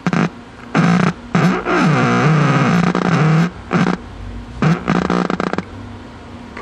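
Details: Packard Bell 35 old AM tube radio with wax IF transformers, first power-up after new power cord, antenna attached: warbling sweeping squeals and growls over low hum. Squealing oscillation; owner suspects a shorted part, unconfirmed.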